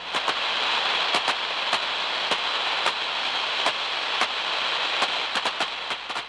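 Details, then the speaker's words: Ultraprobe 2000 ultrasonic scan of high-voltage electrical gear: a constant hiss broken by irregular sharp crackling snaps. This is surface tracking along a cracked insulator, as distinct from corona. "is the sound of tracking over the surface of a cracked insulator whereas Corona is found at points where electrons jump off into the air"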